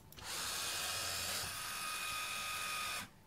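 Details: Linear actuator in a closed-loop robotic arm with Pololu Jrk 21v3 controllers; smooth, even high-pitched motor whir for about three seconds, starting and stopping cleanly without strain; runs freely before a 4 kg load is added.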